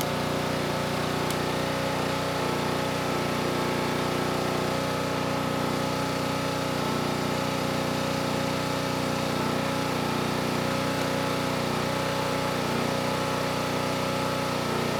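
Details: Generac G1000 750 W generator with no known history, running on an external fuel tank before load testing: steady, even single-cylinder buzz at constant speed with no misses or surging; normal running.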